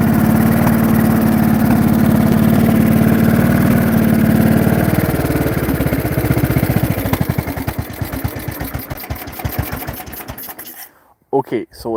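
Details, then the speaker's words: Briggs & Stratton 16hp single-cylinder overhead-valve, cooling shroud removed, runs then stalls: steady running at full throttle then beat slows to loose spaced thumps and slowly dies; loss of power, engine bogging, cause unknown. "it was running at full throttle there. I just idled it down. So, previously, you can look back in the video, it was running at full throttle and it basically slowly died."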